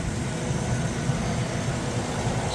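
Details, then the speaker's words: 2007 Chevrolet Vortec Max truck with cam swap and oil pump girdle installed, back in service after sitting for years; low steady V8 idle with no knocks or ticks, the cam barely audible, quiet; a little mist of unknown source. "Oh, you can barely hear the cam too. Barely hear the cam."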